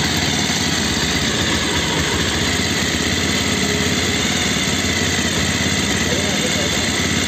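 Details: Bajaj Pulsar 220F after carburettor setting to fix missing and jerking at low rpm: steady, even idle with no hunting, stumbles or misfires; revs no longer rise and fall, properly tuned.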